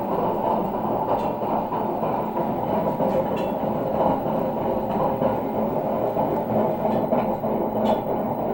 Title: grinding noise from a washing machine drum coz of extremely worn out bearings